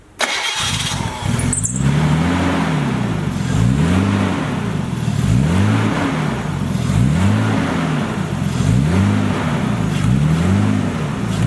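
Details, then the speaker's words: Nissan Skyline just fitted with a replacement starter (one ordered for a forklift): it catches almost instantly, then the idle rises and falls about every 1.5 seconds; the owner says it still has a vacuum leak. "Yeah, still has a vacuum leak. It started fast. It's working."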